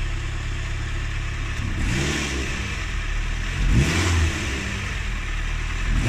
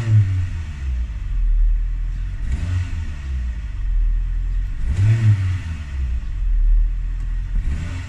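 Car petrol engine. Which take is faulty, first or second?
second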